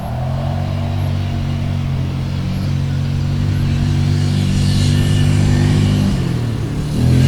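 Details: 1998 Yamaha Grizzly 600 4x4 ATV under way after repair, formerly limited to about 10–15 mph: steady, even single-cylinder drone pulling smoothly as speed builds, no misses or surging, easily going 55; running strong, fixed.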